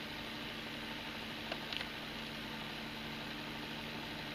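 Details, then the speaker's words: Noark magneto-thermal circuit breaker coil: steady low electrical hum with a faint hiss and small crackles. The coil plunger comes out only partly, so it vibrates and buzzes, described as not serious. Overloaded breaker coil buzz. "alors la bobine quand elle fonctionne il y a le petit plot qui sort un petit peu mais pas assez donc ça vibre ça vibre ça va pas assez donc c'est pour ça le bruit c'est pas si grave"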